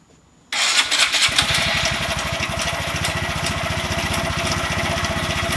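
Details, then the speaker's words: Honda Grom after motor rebuild with new piston, head, cylinder and high-flow oil pump, exhaust refitted: brief crank, fires straight away and settles into an even quick thumping idle without knocks. Normal first start and idle. "work now sounds quite sounds really good"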